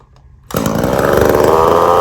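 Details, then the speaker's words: Echo CS-3450 two-stroke chainsaw after replacement carburetor, high and low mixture screws finely tuned; crisp snarl picks up and holds a steady, even note with no stumbling or surging; normal running after repair. "What do you guys think? I think she sounded pretty good. Finally. There's nothing like a good little two-stroke."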